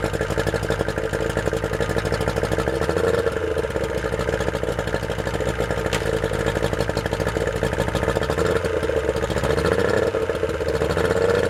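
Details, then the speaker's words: Yamaha outboard running on a water supply, warmed up. Quick, even idle pulse with a steady mid tone and no misses or knocks; healthy warm idle. "oh man it just purrs that Idol runs really well"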